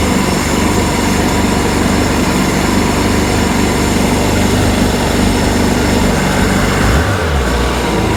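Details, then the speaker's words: 951 two-stroke engine, running with the engine installed after a top end rebuild, with water flowing and no leaks seen: a loud, even roar holding steady with no stumbles, knocks or rattles. Normal running. "Sounds good too. Cycles through, everything is working."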